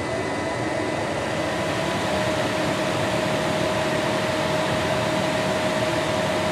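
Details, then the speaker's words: Greenhouse gas heater: after gas burner heats the heat exchanger coils, blower comes on with a steady even rush of air and faint constant hum, no knocks or rubbing; normal operation. "And then once those heat up sufficiently, the blower will come on. The blower with the hot pipes. There it goes."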